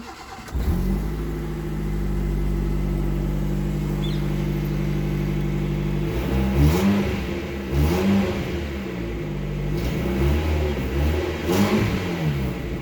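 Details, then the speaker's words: Maruti Suzuki Zen with one catalytic converter bolt loosened: starts and idles with raspy puffing exhaust note sharpening on each rev; exhaust leak at the loosened catalytic converter joint. "I just removed one bolt a bit sound of the car is so increased but it sounds like exhaust leak"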